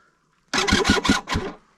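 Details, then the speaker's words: Yamaha YZ250 two-stroke with Panthera Motorsports electric start and lithium battery, first cold start at 34°F after a night in the van, choke on: four or five slow, labored starter strokes, no firing; cold lithium battery too weak. "oh kind of like i thought but these lithium batteries sometimes you give them a little bit of a [ __ ] and then they'll pick up"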